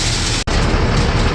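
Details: 2004 International 4300 with DT466 diesel, idling after alternator and battery replacement: deep even diesel rumble holding steady, no misses or knocks; charging reads right, no longer overcharging, normal idle.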